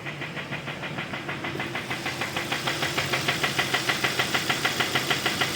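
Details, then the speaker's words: 2015 Kia Optima 2.4, code P1326, flashing check-engine light, lacking power and leaking oil, heard while driving: a regular knock about three a second rising in level over the engine note; a deep internal engine knock. "Guau no pero eso ya no es sensores de eso ya no son No excesos eso realmente es el motor que está sonando"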